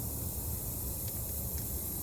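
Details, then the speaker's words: Large tyre puncture being repaired with rubber cement and a serrated plug spike rammed in: faint, steady airy hiss as air still escapes because the repair has not sealed yet. "You can hear the tire still going down. The uh it's not quite got a seal on it, but this uh spike that's actually in there now."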